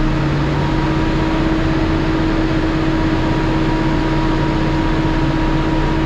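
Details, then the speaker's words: Cummins ISL9 at full throttle after an in-frame rebuild; it was dusted and had broken top rings on cylinders 5 and 6. Before, blow-by crankcase pressure set the stop engine lamp at half throttle. A loud, steady roar with no surging, and no lamp now. "Even with the new Bobi filter, about half throttle, the stop engine lamp was coming on because of crankcase pressure, because of all the Bobi. Now I'm full throttle and they don't come on."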